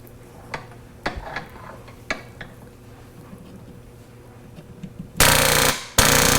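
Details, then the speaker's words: Tuttnauer 2540EA autoclave fill pump, bench-tested drawing from a bowl of water after its solenoid was taken apart and cleaned; it had gone silent, passing little water. After handling clatter a loud steady buzz kicks in, the pump running normally. "it used to make a noise like this but as of yesterday it was making no noise and there was a very little bit of water coming out"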